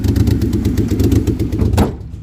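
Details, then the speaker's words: Old Chevy Impala daily driver restarted: lumpy, uneven loping idle with stumbles, sounds like a diesel, then dies; running on roughly two cylinders, cause not yet found. "He sounds like a [ __ ] diesel."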